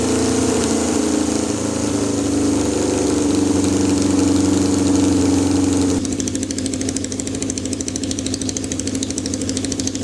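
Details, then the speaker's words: 1979 Kawasaki KZ650 four-cylinder bobber, first start with a new tank: uneven hunting, lumpy beat with wavering pitch; a torn carb boot let the number four carb leak vacuum and upset carb sync. Boot replaced, then synced; vacuum leak. "ended up one of the carb boots had a rip in it so we changed that really quick we're having a problem sink in the carbs because that number four carb was was leaking vacuum"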